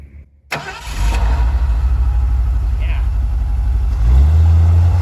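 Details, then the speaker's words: 1974 Ford Bronco, factory 302 V8, after restoration mechanical work, before first test drive: fires after a short crank and settles into a deep, even rumble with slight rise near the end; smooth, healthy idle, strength untested, no compression test yet. "It's a factory 302, purrs along pretty good."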